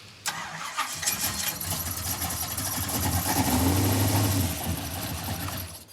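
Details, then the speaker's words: Car with just-rebuilt engine, first start: cranks and runs roughly with thin squeak; gauge shows zero oil pressure, bearings suspected already damaged. "No oil pressure? No, I can hear it squeaking. It's probably already wasted the bearings."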